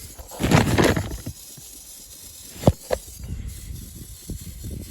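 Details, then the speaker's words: 12v diesel being hand-primed: short hissing, sputtering bursts of air instead of fuel, with fuel reaching the P-pump but none beyond it or out of the lines. It is still drawing air; the source of the air leak is unknown. "But I do not understand why there's fuel up to the P pump, but then after that there's no fuel."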